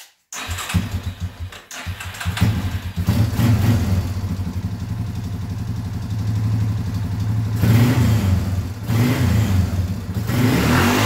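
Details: Small ATV engine after fixing lean popping (mixture screw adjusted, needle clip moved to lowest groove): starts, idles steadily and revs cleanly with no exhaust popping or backfiring.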